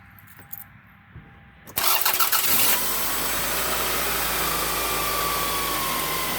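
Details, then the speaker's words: Car with its battery disconnected, started only by a Foxspeed battery booster pack: silence, then about a second of quick even cranking before it catches and settles into a steady idle; clean start. "No help from the battery at all. And this little thing that weighs less than my work boots just started that car."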